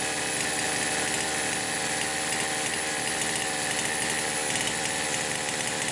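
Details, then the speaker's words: Poulan Pro 525 chainsaw (essentially a Pioneer P52), carburetor gasket issues repaired, idle speed screw fully backed off: thin, buzzy two-stroke note holds steady and fast, never dropping to a proper idle; high idle, cause unknown, owner suspects governor. "I don't have any idea why it is trying to idle too high. I mean, the idle speed screw's backed off as far as it will go."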